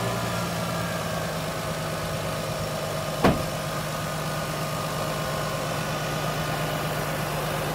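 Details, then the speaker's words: Lexus IS300 idling smoothly right after a spark plug change, a steady even hum with no knocking, ticking or misfiring; normal idle, misfire gone. "seems to be in order no knocking no ticking no misfiring that's what we got rid of"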